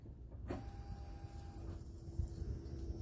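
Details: Old hot rod shop truck that died after a few seconds' running and wouldn't restart. With the microphone under the truck below the tank, a faint steady whine at key-on shows the tank fuel pump runs.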